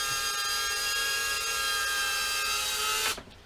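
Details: First test flight of an FPV quad (RunCam Nano 2 fitted), likely on Betaflight 4.1: a clean, steady high whine that cuts off sharply when the motors stop. The motors are smooth and healthy.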